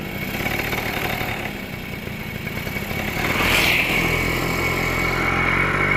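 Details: Suzuki Crystal two-stroke motorcycle after engine reassembly (ratio gears, oil pump fitted, oil filled), was very rough before; now pulling away with crisp, even ring-ding rising cleanly with revs, no knocks or rattles: normal smooth running.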